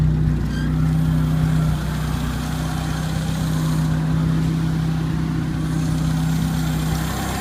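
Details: 1980 Chevy LUV carbureted four-cylinder, long unstarted, after clearing a fully plugged carburetor jet, likely the idle circuit, that had prevented idling; jets possibly too lean. Steady low hum holding even idle without stalling or hunting; now idles properly.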